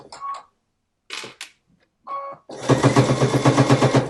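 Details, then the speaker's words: Household sewing machine on zigzag stitch sewing thick layers of fabric for a face mask: even, heavy clunking about four times a second as the needle punches through. This is a normal sound for thick fabric. "Now, you hear it's a little clunky. This is thick. Don't be afraid if you hear that sound."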